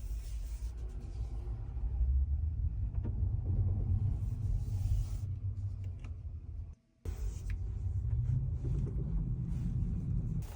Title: Model Y Knocking sounds every after being parked.